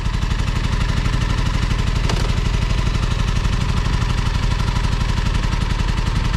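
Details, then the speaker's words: Kawasaki Ninja 636 that crackled on the freeway and then lost drive, idling in neutral: lumpy, uneven low thumping that wants to die, kept alive only by throttle blips; not holding idle, cause unclear. "you're good there's something wrong with the idol it's not holding idle yeah you can do it you just have to keep it alive"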